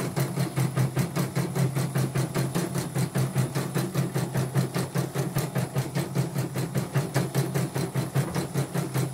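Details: Portable embroidery machine (came in blank screen, dead touchscreen, hoop not positioning, unable to embroider) test-stitching with cover still open after mainboard replacement: even needle thumps about two and a half per second over steady motor hum; result judged OK; normal stitching.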